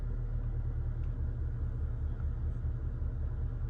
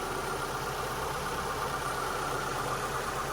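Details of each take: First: 2002 Mitsubishi Lancer, first startup after replacing ignition parts: low, uneven loping idle around two or three beats a second with the engine rocking back and forth; rough idle, cause unknown. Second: 2002 Mitsubishi Lancer after about 5 minutes of running following ignition parts replacement, shop fan hissing behind: steady, even idle with no rocking or stumble; normal idle, earlier roughness possibly from pressure-wash water in sensors (owner suspects).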